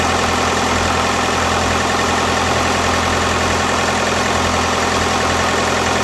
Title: BKD cold rough idle